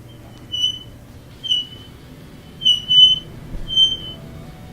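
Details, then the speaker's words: Frigidaire dryer running: high, shrill metal-on-metal squeal pulsing about once a second as the drum turns, louder toward the back; suspected worn rear drum bearing, to be replaced. "Today we have a Frigidaire dryer that's making a terrible squealing sound, metal against"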